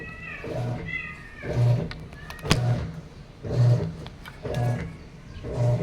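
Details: Sharp automatic top-load washing machine, reported as not draining or filling, tested before repair: motor strokes about once a second with no water entering; it agitates dry for minutes while the timer counts down.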